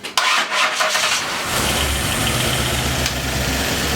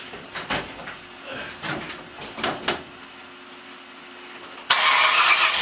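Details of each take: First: Freshly built donor Ford 302 with a new cam after correcting a distributor installed 180° out, no radiator fitted, 50 psi oil pressure while cranking: brief cranking, then it catches cleanly into a smooth, even idle; normal start. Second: Freshly installed 302 engine with new cam: three short bursts of cranking with no firing between them; owner suspects ignition timing off, possibly 180 degrees out, later rotates plug wires one hole counterclockwise.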